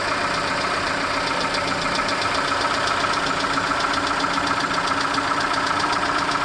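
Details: Peugeot/Citroën TU5JP4 engine at cold idle: a steady, fairly quick tapping knock rides over the engine at about two to three a second; the cause is not identified.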